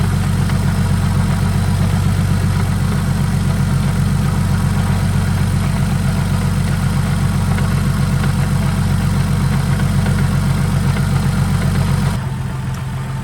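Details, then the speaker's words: Saab just fitted with a 62mm BorgWarner turbo replacing a 57mm, after an oil leak was fixed: steady, even low idle with a smooth regular pulse on first start while checking for leaks, with no knocks, hunting or whine. "so the car is back together now so what we're going to do is pretty much fire it up check for leaks and everything and see how everything is working"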